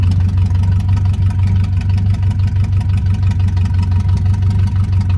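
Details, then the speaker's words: 1980 Chevrolet C30 dually on a cold start after a new fuel pump and filter, fed from a gas bucket. Loud, raw, deep idle with an even low throb and no muffling. The mufflers are rusted and blown out, so it is basically straight piped. "right, so that's straight piped right now. The mufflers are rusted and blown out."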